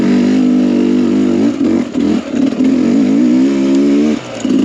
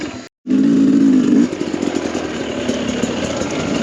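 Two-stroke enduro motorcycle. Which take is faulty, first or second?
second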